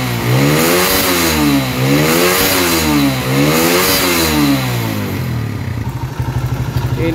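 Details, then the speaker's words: Motorcycle after repair of rough engine noise, oil confirmed reaching the tensioner area: throttle blipped repeatedly, pitch rising and falling smoothly with no knocks or rattles; rough engine noise gone. "bagian motor penyakit mesin kasar itu sudah finish"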